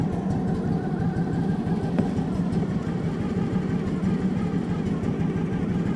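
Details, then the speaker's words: Kawasaki-engined machine, newly bought, with idle screw makeshift fitted: slow loping idle, barely ticking over, oil light staying on; manual specifies about 1200–1300 rpm idle, so idle speed is too low and is raised. "in the manual I did read the idle RPM supposed to be like 1 12200 1300 RPM and I don't even know if we're spinning over quite that fast"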